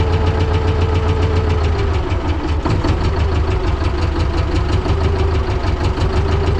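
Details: T-16MG self-propelled chassis diesel in winter at −10°C, started with the decompressor and clutch squeezed: steady, even idle clatter with no misses or surging after the cold start, a healthy engine settling in.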